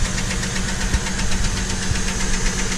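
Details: 2007 Chevrolet TrailBlazer petrol engine idling roughly and shaking with a rapid, steady metallic ticking-knock; belt replaced without fixing it, idler pulley and tensioner ruled out, internal cause suspected, left to a mechanic.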